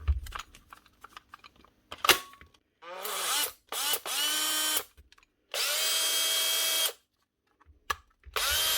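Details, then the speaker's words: Brushed drill motor sound check before reassembly: short bursts spinning up to a steady high whine, a bit rough but with no clicking from an armature imperfection lifting the brushes; sounds worn but not burnt out. "Or just general rough sound. It sounds worn, but it doesn't sound burnt out. It's hard to tell without a reference."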